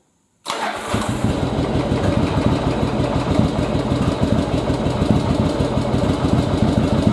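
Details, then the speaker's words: Second-generation Yamaha Virago V-twin during carb sync and air/fuel mix adjustment: just fired up, idle lopes rough and uneven with stumbling pulses, vacuum gauge tubes reading wrong way; rough idle, cause not confirmed. "all right you can see the idle's kind of rough you can see my tubes are going the wrong way"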